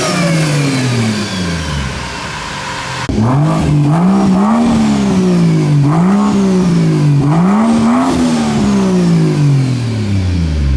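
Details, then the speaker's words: 2JZ-swapped Nissan 240SX on its first drive: the engine revs up and down with a loud whine rising and falling alongside; the Toyota power steering pump, running on ATF, may dislike that fluid; power steering pump noise. "the power steering pump is like angry right now I don't know what his problem is"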